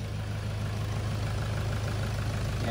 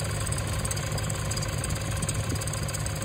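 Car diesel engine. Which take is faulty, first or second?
second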